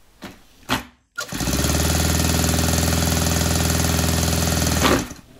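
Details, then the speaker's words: Saito 100 four-stroke nitro RC engine, rocker covers removed to check valve gap, gets a steady starter drone for about four seconds but never fires; the valve timing is suspected to be off. "nothing doesn't sound like it's wanting to do anything his is like a head gasket leak except there's no head gasket keep thinking to myself this doesn't sound right"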